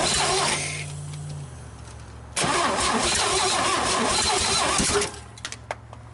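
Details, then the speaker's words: GMC 305 V6, first start in years, vacuum advance port plugged: cranking catches into a ragged, uneven run that stumbles and dies; ignition timing appears out. "I think somebody's got this thing out of time so we're gonna run the phone over here real quick"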